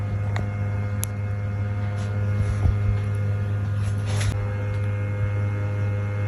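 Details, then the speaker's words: Sony PS5 playing digital content, inside a cabinet, unprompted for 15–30 seconds: loud steady drone with whirring as fans run full blast and the disc drive spins flat out for no reason. "It would go absolutely mental for around 15 to 30 seconds, blasting the fans as hard as it could and spinning the disk as fast as mentally possible for no reason at all."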